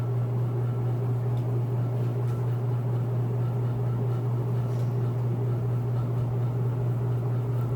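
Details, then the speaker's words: Antique Century closed-top 60-inch ceiling fan, late 1910s–early 1920s, restored, on high: strong steady low hum at constant pitch, no rubbing or ticking; loud motor hum, owner unsure if winding needs revarnishing or vibration/loose parts. "This fan is really loud. I don't know if the winding needs to be revarnished or if that's just what it does, because I've heard other people's videos of this and they're not that loud, so. It also has a pretty loud cyclic hum."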